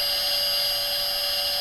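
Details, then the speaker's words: Milo v1.5 CNC mill (LDO kit), first full power-up, VFD-driven spindle at about 10,000 rpm: steady shrill multi-tone whine, no wobble or grinding; spindle runs smoothly, the VFD's electronic whine is the loudest part. "That's not that loud. The VFD is loud."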